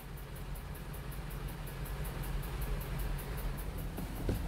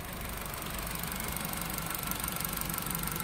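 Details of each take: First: Four-cylinder car engine idling on LPG with STAG WC-03 gas injectors: rapid even ticking about four a second, injectors clicking too loudly; worn injectors, fixed by replacing all four with a new set. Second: 4-cylinder car running on LPG after replacing all four worn STAG WC-03 gas injectors with a new set: even idle with light regular injector ticking, no jerking; running smoothly.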